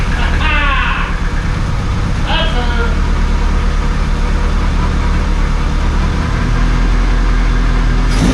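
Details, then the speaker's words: Rebuilt Honda Civic Si, first start after fitting a new AutoZone ignition coil to cure no spark (no coolant in yet): starts instantly, steady low idle slightly rough at first, then settles into an even, smooth beat; normal idle. "Got her fired up, put the new coil in, it was just instant, as you saw. Ran a little rough at first, smoothed itself out, sounds awesome."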